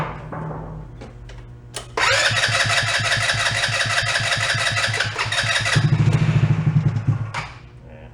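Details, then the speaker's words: Two-passenger CVT ATV, about 150cc, sat for a while, cranking after brief battery charge and starter fluid: steady churning about 3.5 beats a second, no firing; not getting fuel, water in carb suspected. "That is not getting any fuel at all. It has other issues. Could be water in the carb too."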